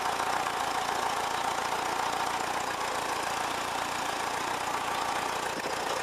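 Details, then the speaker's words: 1979 VW Westfalia Bay Window camper, air-cooled engine idling while charging about 13–13.6 V: steady even idle under loud fan rush, no knocks, misses or hunting; normal idle. "It's running alright and everything, it's going alright, plenty of power."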